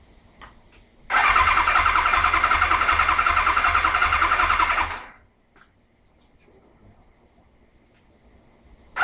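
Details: 1992 Kawasaki KZ1000P, first start attempt after a fresh rebuild and modification: the starter spins the engine steadily at about three and a half compression beats a second for four seconds, but it never fires. Cranks, no start.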